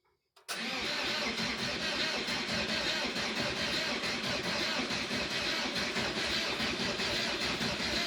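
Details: 1986 VW T25 Transporter camper, 1.6 JX diesel, stored since 2017, on fresh diesel after an earth-cable upgrade and a starter fuse fix: the starter churns steadily for several seconds but it never fires, starved of fuel by air in the lines.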